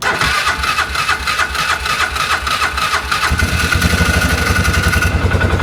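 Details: 2005 Polaris Ranger 4x4, previously repaired by another shop (bad cam fixed, low fuel pump pressure found): after fuel pump cycling, catches quickly and settles into steady, even single-cylinder idle with no knocks or rattles; healthy start and idle.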